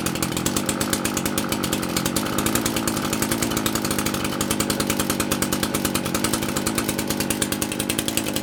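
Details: Handy 38cc petrol two-stroke chainsaw, given as non-running, started on half choke with chain brake on: fast, even buzz with crisp regular firing, no stumbling or dying; runs properly.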